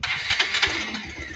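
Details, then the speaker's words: Kawasaki Rouser 220 motorcycle hard to start: starter won't catch on a single push, even though it should start on one press even with a cold engine; short uneven cranking bursts stumble before barely catching. "Tapos hindi siya makuha ng isang push start, no? Dapat kahit malamig ang makina, isang push start lang dapat."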